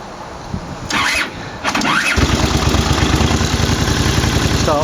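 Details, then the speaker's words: 1983 Honda GL650 Silverwing Interstate (US import), warm engine, five-speed, new head gasket; owner says carbs could use setup. Short crank, fires promptly, settles to steady even idle thump about four per second; raucous with crackle on overrun. Normal warm start and idle. "well from cold from warm it's not a problem so you can hear hopefully this sounds here a little bit or raucous has a nice little castle on the overrun"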